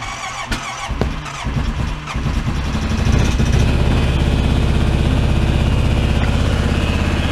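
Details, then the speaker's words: Carbureted Honda Rincon quad, cold start at 14°F: a few sputtering pops, one sharp backfire, then it catches into a quick uneven idle that steadies out. The owner had earlier issues with it only running at wide open throttle. "just a wee little backfire hey it runs shocking to me"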